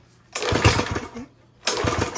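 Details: Craftsman lawn edger, 140cc engine, with lots of dirt in the carburetor/intake: it catches in uneven bursts with dropouts and never settles into a steady full-speed run; it runs poorly and slow.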